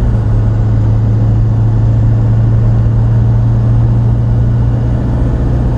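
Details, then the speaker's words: Chevy Silverado Duramax crew cab dually, AAM 11.5 rear end just rebuilt with Eaton locker, test drive at 60 mph on highway: steady low road drone, gears faintly louder than remembered, no whine or clunks; healthy, new gears need break-in. "there it is 60 and no noise you can hear the gears a little bit louder than what i remember i think i'm paying attention to it now too i guess you got to break them in"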